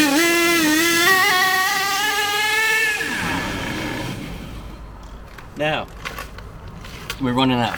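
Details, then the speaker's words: HPI K4.6 nitro engine in a Savage 21 monster truck, tuned to near perfect: a high, steady scream holding even pitch for about three seconds, then cutting out as the fuel deliberately runs out. "we'll start it up we'll let it tick over and you can you can hear it running"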